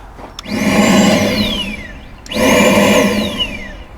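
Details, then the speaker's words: 2009 Ford Fusion with codes P0410 and P0491: two bursts of loud blower whoosh with a whine spinning up and winding down. The secondary air pump is heard loudly because its inlet tube at the air filter housing is loose, which alone wouldn't set the codes. "okay so this tube is the inlet that's why I'm hearing it so loudly in here well that's not good either just this being loose that's not gonna set an air pump code"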